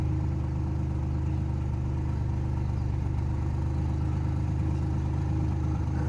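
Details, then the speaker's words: Ford Explorer engine idling after STP engine flush and Castrol Edge oil change, dirty old oil blamed; heavy deep drone, loud low rumble with rattle, still loud, expected to settle down. "So I already know the engine is going to drive better. It still sounds loud, but it's going to settle down."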